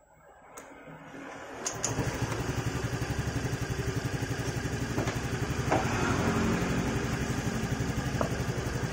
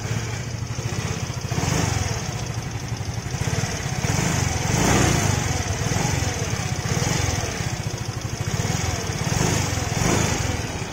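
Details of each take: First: Fairly new Yamaha motorcycle after valve clearance adjustment with a 0.10 feeler gauge, set slightly loose: steady, even low putter at idle with no sharp ticking; the loud valve tick at idle is gone. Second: Relatively new Yamaha automatic scooter heard from the left side at idle: quick, sharp ticking keeps pace with the idle and sits clearly over the engine, a fairly loud valve tick traced at the cylinder head to loose valve clearance.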